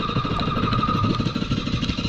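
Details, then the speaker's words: Jet ski restarted on the water after trouble, three or four miles from the dock: a harsh, uneven clattering beat with ragged firing instead of a smooth buzz, running rough; owner fears the engine is killed, cause unconfirmed. "it started to get me back in the shore oh no that is not good"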